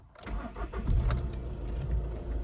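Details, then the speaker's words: Seat Leon with 5-speed manual, started with the clutch in: brief crank, catches first time and settles into a low, even, quiet idle with no knocks, "sounds like a little van"; healthy start. "Nice and quiet, man. Sounds like a little van."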